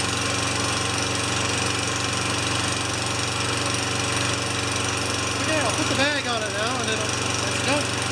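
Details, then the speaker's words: Yard Machine mower with a 4HP Tecumseh single-cylinder engine that stalled after a few seconds, now repaired; steady, even beat throughout with no surging or dying, running normally. "that's a wrap Bruntlett just runs great"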